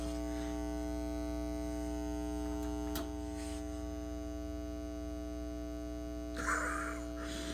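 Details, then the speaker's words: Carver TFM 4.0 Magnetic Field power amplifier: steady low mains-type hum with buzzy edge that persists even with power switched off; cause unknown despite trying other speakers, cables, components and a power line filter; listed as needing a recap. "so there it is that's the buzz [Music] so it's still going on even though i had the power switched off that's crazy"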